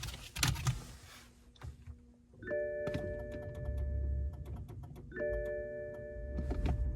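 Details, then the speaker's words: BMW 330e hybrid with a suspected drivetrain or powertrain problem and an aging 12V battery warning, on a cold day: rapid irregular abnormal relay clicks under a ringing dashboard chime, from the fan module / front electronic module. "You hear that clicking there? That's not normal. That's from the fan module, front electronic module, that."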